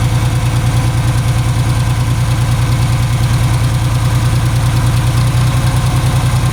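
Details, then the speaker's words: Ford 3000 three-cylinder tractor after about 5 minutes running on two cylinders: lumpy, uneven idle as the dead third cylinder tries to fire, then catches and runs on all three. "After about 5 minutes, you can hear it start trying to fire off on the third one. See if you can hear it there. Hear it trying to kick in there, and then all of a sudden it'll take off and run on all 3."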